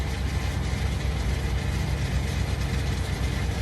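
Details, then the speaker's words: 8L90 transmission after fluid and filter service, internal harness replacement and fast adapt relearn at about 170° fluid temperature: steady idle with soft ticking about twice a second as clutches apply and release, going into gear by itself; normal. "test it's applying clutch pressure and you hear you can hear the clutches engaging and releasing there he goes this goes in gear by itself"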